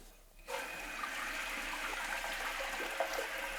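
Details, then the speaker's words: Leaky toilet after replacing the flapper with chain length set from the old one, water turned back on: steady even hiss of the tank refilling, no water rushing past the new flapper; normal tank refill. "so all I'm going to do now is wait for my water to fill ensure that it's not running past my flapper give this thing a few flushes"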